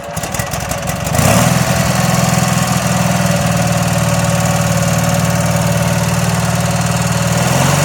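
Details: Garden tractor with a Kohler Twin Series 2 engine, recently restored and serviced, on a cold start with a little smoke: short crank, then it fires and settles into a steady, even idle with a regular beat. Normal cold start and idle.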